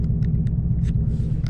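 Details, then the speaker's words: 2014 Ford Mustang GT just fitted with a Boss 302 intake manifold, tuned with an SCT X4 on 91 octane: lumpy, uneven idle with irregular thumps; very rough running, cause not yet found. "i hope to be able to figure it out right now so let's see that was very very rough"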